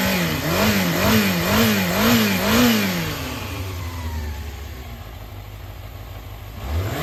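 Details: Yamaha XJR400 (4HM) complete engine assembly on a start-up check, compression tested: a smooth four-cylinder note with clean throttle blips settling to a calm idle and no abnormal noises. It is healthy.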